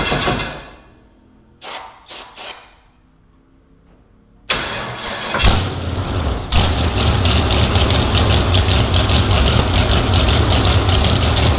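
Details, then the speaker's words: Big block Chevy jet boat engine, first start with starting fluid and idle turned up slightly: a few cranks and coughs, then catches into a loud, even, lumpy idle with no knocks or misses; runs normally. "I just realized that it is almost 1 o'clock in the morning. But it runs. That was badass."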